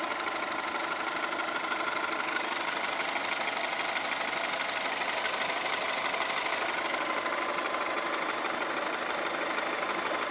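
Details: 2002 VW Golf 4 1.4 75 PS petrol: a steady, fast, even ticking knock at about three per second over a harsh idle, sounding like a diesel. The cause is not identified.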